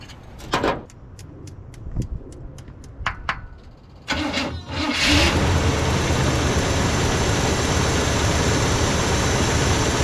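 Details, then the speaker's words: Chevy Suburban, 2WD with a 350 V8, fully warmed up after the intake leak holes were plugged with tinfoil. A few clicks, then it catches and settles into a steady, even idle rumble with no hunting; running a little better, smoking quite a bit. "A little better. Next up, go get some gas. She's fully warmed up."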